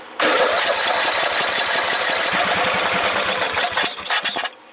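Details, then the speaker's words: 14.5 Briggs & Stratton lawn tractor no-start, cranked while checking fuel pump output with a kinked fuel line noted: starter spins steadily about four seconds without catching; fuel pump not pumping fuel, fuel starvation. "It is not pumping fuel. Okay, we found our problem. It's not pumping fuel."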